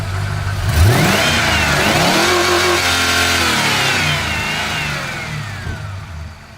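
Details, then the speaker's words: Ford LTD Crown Victoria V8 converted to EDIS distributorless ignition from a 1994 Lincoln Town Car: revs climb smoothly and drop back cleanly with no misses or knocks; revs freely and healthy, though idle hunts slightly. "go rev up pretty well good idols okay it drives alright as well"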